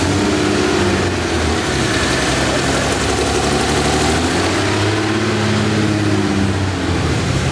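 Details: Porsche 964 Turbo built engine with new Haltech ECU, idling: lumpy uneven idle with wavering drone and stumbling beat; one cylinder dead, exhaust valve not sealing.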